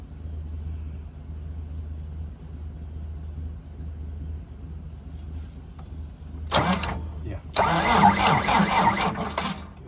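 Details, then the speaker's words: 29-year-old TimberJack 450-C skidder diesel, sitting 8 years, turbo locked up, battery was at 11 V before the charger went on: slow, labored cranking at three or four beats a second that never catches; owner thinks the starter isn't spinning it fast enough. "Really need to kind of let it build up because it really not slinging it fast enough, in my opinion."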